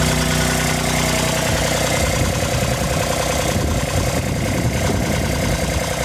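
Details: Kubota RTV1140 with D1105 diesel, first start after replacing water pump with failed shaft seal, radiator cap open: steady, even diesel clatter at idle, no misses, knocks or speed hunting; idling normally.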